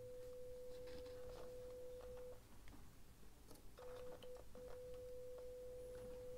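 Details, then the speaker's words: 1958/59 Loewe-Opta Magnet 3737W tube radio, 500 Hz 1 V peak-to-peak signal injected at pin 7: a steady, clean mid-pitch tone from the speaker drops out briefly and returns. Output transformer is fine. "we've got a tone coming out of the speaker that means that our ARA Transformer is fine"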